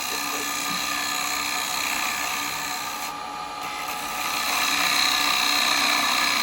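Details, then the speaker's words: Woodturning a bowl with carbide chisels: a steady hissing cut with light rhythmic chatter that changes near the centre. The gouge grabs slightly as it nears the middle without bevel support; the turner then steepens the tool angle. "Still grabbing a little bit, just at that point there. No, we're holding it. No, it's a little bit there. See how it starts to go? And you can hear that noise, that little..."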